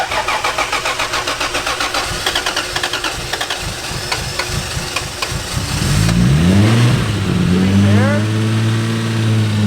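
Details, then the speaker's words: Toyota JZX110 Mark II, replacement JZ engine from a Toyota Crown, first cold start on E fuel after cooling system and turbo hot-side changes: about six seconds of quick, even cranking, then catches into a smooth, steady idle; sounds healthy. "Sounds great. Sounds like a JZ should. Perfect. That engine sounds so good."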